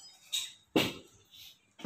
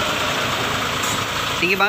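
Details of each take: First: New Mitsubishi Fuso 4×2 SL truck, stationary, clutch pedal pressed: sharp loud clicks from below the clutch; the driver most likely adjusted it too short, so it needs readjusting. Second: Mitsubishi Fuso 4×2 SL truck idling after clutch readjustment (nut turned about half a turn): steady low diesel hum with no scraping or rattle; clutch noise gone, though pedal height still set too high.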